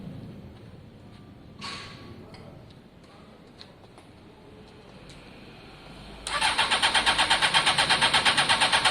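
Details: Honda CBR600 F4i fuel-injected non-runner, after injector cleaning; cranked while spraying starting fluid, it catches and chuffs in quick even pulses on spray alone; engine judged okay but no fuel delivery, fuel lines need clearing.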